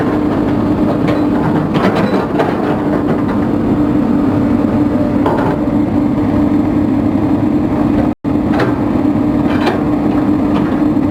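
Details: Komatsu diesel with low power, high vibration and white smoke: heavy clatter with irregular hard knocks over steady drone; engine knocking, cause not pinned down.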